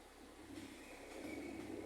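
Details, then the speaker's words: Citroën C3 2014 with only 39,000 km, heavy clutch: pressing the pedal brings back a hollow mid-pitched drone that swells louder; noisy clutch release, probably from lack of use (suspected), before clutch replacement. "embreagem pesada voltou a fazer o barulho novamente"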